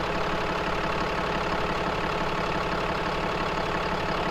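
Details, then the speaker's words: Cummins diesel truck on cold start, mic right in front of the grille: steady idle near three beats a second, firm low rumble, no knocks, about 82 dB; healthy idle. "Yeah, we're a pretty steady 82 with just the Cummins idling, and this is like right in front of the grill."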